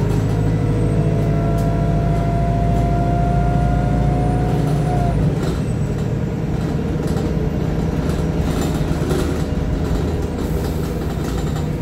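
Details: Arriva North East VDL SB200 Plaxton Centro diesel bus YJ58 FFB in limp mode: steady raised idle with a deep even drone, note dropping slightly midway; high idle, cause not confirmed.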